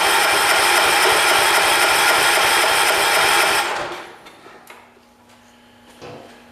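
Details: 1985 John Deere 212 garden tractor that sat six months with diesel mixed into its gas, given choke and a little throttle: a fast, even starter churn about four turns a second with no firing. Cranks but won't start; spark not yet checked.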